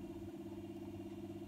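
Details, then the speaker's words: 1960s Revox G36 MK III reel-to-reel tape recorder, unused since about 1975, after oiling the motor's long shaft and bottom bearing: soft steady low hum with faint even pulse, no scraping or squeal; motor runs smooth and quiet. "That's how it should sound."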